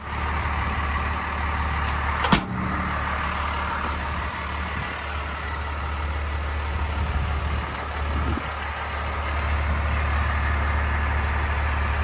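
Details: 1993 Dodge Ram W-350 4x4, 12-valve 5.9 Cummins intercooled diesel, automatic four-speed, 51,414 original miles, fully serviced, just started: steady deep rumble with even beat, no knocks or misses; healthy smooth idle.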